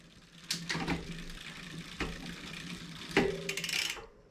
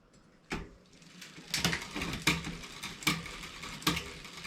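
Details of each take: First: 2020 Specialized Fuse 27.5+ with a Shimano Deore Shadow Plus 10-speed rear derailleur, chain spinning: a rough rasp and clacks as the chain rubs the derailleur after the limit screw was overtightened; the screw is then backed off. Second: Mountain bike (2020 Specialized Fuse 27.5+, Shimano Deore Shadow Plus 10-speed rear derailleur) shifting cleanly with crisp clicks and even chain whir after barrel adjuster indexing; previously rubbing the next cog.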